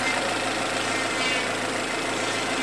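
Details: Geely SK engine warmed up after a cold start, idling smoothly with an even hum and no metallic ticking; valvetrain and hydraulic lifters sound quiet and healthy once clearances are taken up.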